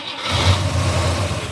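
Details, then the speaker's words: 1965 AMC Ambassador (Rambler) first start after new oil and new carburetor, bowl filled, on a jump pack: fires with a brief rough rumble then dies within about 1.5 seconds; starts then stalls, needs more fuel. "Oh, it died immediately. But hey, it started. I need more fuel."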